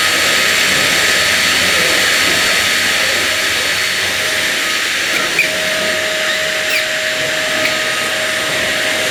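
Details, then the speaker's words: One Concept Pila bagless vacuum cleaner running: steady high motor whine with a faint thin squeak coming and going as it is pushed, likely from the hose rather than the wheels. "oh dear I think that squeaking noise you know it is it does sound a bit r2d2 as if it's trying to speak to me but I think it's I think the squeaks coming from the the hose rather than the wheels"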